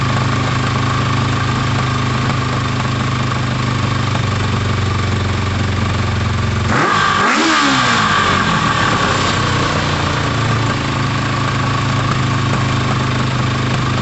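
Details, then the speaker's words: Motorcycle idling with pod filters fitted; fairly steady idle with a brief blip, slightly uneven beat, cylinder one not showing on carb tune though pipes are equal temperature, cause unknown. "i'd love to tell you what was going on guys with cylinder one but i genuinely don't know um it sounds fine uh all the pipes seem to be at the same temperature it's just not showing on the carb tune and i'm not sure why"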